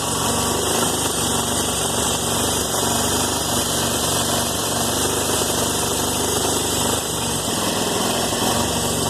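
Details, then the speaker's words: 2001 Yamaha TT-R250 just after full carburettor rebuild (new diaphragm, O-rings, spring, intake boot): steady, fast, even idle with buzzy exhaust, no misses, sitting a bit high; throttle still to be adjusted. High idle speed. "might be a little bit high. I've got to adjust the throttle still."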